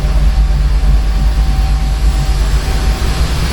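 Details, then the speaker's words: Torana being adjusted to stop run-on after shutdown, with the fan running: deep, lumpy rumble with a slow uneven pulse, engine shaking. Idle speed set too low. "um I I think we're idling a bit too"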